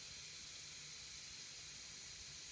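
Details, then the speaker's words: Air compressor converted to silent running, tank charging toward the 60 cut-off: steady faint hiss of air escaping at the unloader valve with almost no motor sound; it leaks but works, and could be crimped or tightened more. "basically wit with this with this on moda valve here you can hear the air leak out now what you can do if you like is you can actually try and crimp it a little bit more what tighten it a little bit more"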